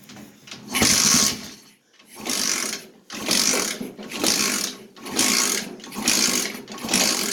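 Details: Yerf-Dog kart with swapped 125cc engine, kick-started with the carb still dirty (black deposits, green residue), leaking fuel, idle screw never adjusted. Surges up and down roughly once a second with rough, uneven revs in between; won't settle into an idle.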